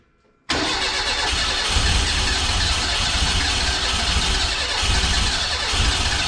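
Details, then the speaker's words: Renault 5 GT Turbo engine in a van, first start attempts on distributor ignition: on cranking it catches with a ragged, uneven roar that never settles; ignition jumping to about 40° while cranking, too much advance; fires but won't run. "much so close but I don't know why it's not right I'm going to have a bit of a play"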